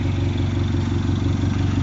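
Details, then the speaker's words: Mini Cooper S R56 at first start after front-end reassembly, check engine light on: loud, rapid chuffing at idle over a deep engine beat. Big exhaust blow because the V-band clamp was not done up. "yeah so quite happy it lives i've got a massive blow on the exhaust i knew i would do um because my v bang clamp i was on my own i couldn't get it done"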